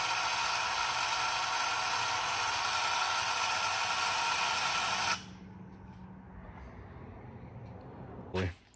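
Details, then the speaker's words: Cheap new paint sprayer running on an extension cord and set to prime: harsh, steady grinding buzz for about five seconds, then it cuts out; the pump gears sound like they are grinding and it fails to prime. Cleaning did not fix it. "yep it's on Prime sounds like those gears are like grinding in"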